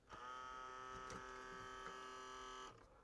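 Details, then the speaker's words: Sony CMT-MD1 micro system, top-loading CD lid: a small motor buzzes steadily for about two and a half seconds but the lid never flips open; owner suspects a belt, finding a perished loading belt. "You can hear a motor running, so maybe it's just a belt or something."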